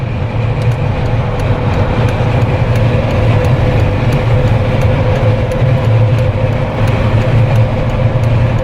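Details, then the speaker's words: Jeep Wrangler with LED light bar after a no-cost whistle fix, at about 120 km/h on the highway: steady road and wind rumble with no whistling tone; the light bar is quiet. "$120. And not a single whistle."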